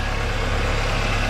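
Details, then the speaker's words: Yellow VW Golf Mk3 with 1.6 engine, heard in the engine bay at idle: a lumpy, uneven low thrum that wavers instead of holding steady. It runs pretty rough, and the cause is not yet found. "the yellow spool kind of runs pretty rough"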